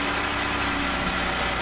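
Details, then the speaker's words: 2015 Ford F-150 2.7L EcoBoost after quick fix of vibrating pin rattle: steady idle with soft airy turbo hiss, rattle gone; remaining noise is normal internal turbo noise. "the Ruvo still still makes noise right but the rattling is not there anymore so that's pretty good for me"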